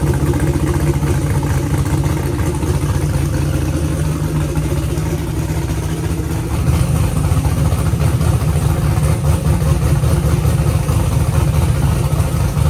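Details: Car idling with cooling fans running after adding two quarts of fluid to a used transmission that had whined on its first test drive (suspected pump); steady low drone, whine gone, acting more responsive, owner hopes it was just low fluid.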